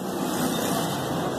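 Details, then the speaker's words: Car wheel bearing in a removed steering knuckle, hub spun by hand before replacement: a steady, gritty rumbling grind. On the road it roars like an aircraft turbine above 60-70 km/h. "tá vendo aí galera isso aqui é o rolamento"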